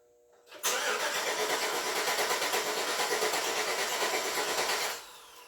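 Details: 2008 Chevrolet Suburban, first start attempt of new engine after long sitting, battery just charged: starter churns steadily about four seconds at even beat but never fires; no fuel from injectors suspected; crank no start.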